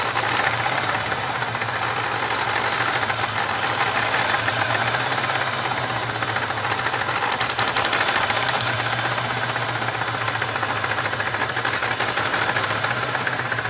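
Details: 1999 Pontiac Grand Prix supercharged 3.8: loud, rough, uneven stumbling chatter with no steady beat; misfire from a bad ignition coil for cylinders 1-4.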